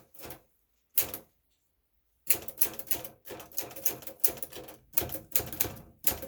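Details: 1962 Smith-Corona Sterling manual typewriter; crisp even clacks in quick bursts with short pauses, no drag or skipped strikes, typing normally.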